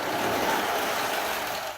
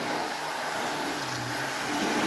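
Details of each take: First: Model railway Spirit of Progress carriage derailed over the points; steady, harsh scraping hiss with no wheel rhythm for two seconds, fading at the end, as the carriage drags off the rails; derailed carriage grinding. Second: Spirit of Progress model train locomotive on a double-loop track, controller voltage turned to maximum: loud, steady buzzing whine holding pitch while running fast, no grinding or stutter; motor sounds healthy.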